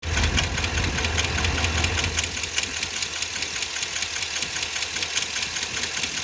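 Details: Ford 7.3L Godzilla V8 at idle: crisp, steady ticking about two and a half per second with a duller knock underneath, from lifter failure.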